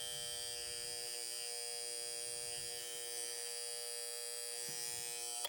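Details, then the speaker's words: 1960 Seth Thomas Canewood electric alarm clock, during repair while synchronizing the alarm hand: the alarm rings with an even, raspy buzz for about five seconds, then cuts off cleanly; alarm buzzer working. "Let's turn it back on and turn the alarm until it rings. I think it wanted to ring at the one there. There it is."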